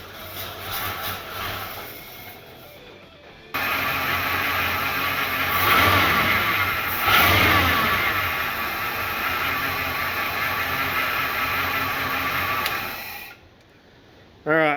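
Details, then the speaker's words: 1977 Ford Fairmont XC GXL revived after 12 years stored in a shipping container, not yet running from its fuel tank: the engine fires and runs steady and even through throttle blips with no misfire or knock; the accelerator pump is possibly leaking. "I think I think we're on a winner the accelerator pump might be leaking a little bit I'm not 100% sure so I'll have to keep an eye on that but the rest of it seems like it's actually working for once"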